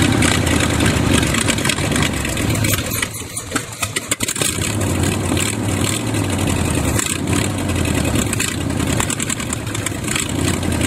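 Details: $200 used Chevy 350 small-block V8, apparently rebuilt before, on an engine stand at first start: uneven idle, surging and stumbling with no steady beat; dirt found in the carburetor, idle circuit tubes likely plugged, needing thorough cleaning.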